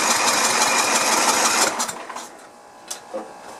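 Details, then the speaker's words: Sears LT1036 lawn tractor Tecumseh engine, sat at least two years, 2-cycle oil sprayed in: starter spins it about three strokes a second for under two seconds without catching; cranks but won't start, later found to have no spark, points magneto suspected. "Maybe no spark. What do you think?"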